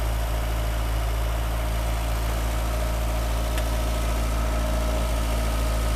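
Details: 1985 VW Cabriolet revived after sitting about 8–10 years, right after first driving and still smoking: a low, steady idle with an even beat around four per second, no misses or knocks; idling smoothly.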